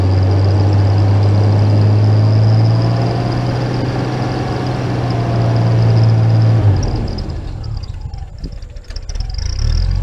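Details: Jeep after a turbo rebuild, first start: a deep, even engine hum holds steady with no knocks or whistles, then eases off near the end; normal engine running.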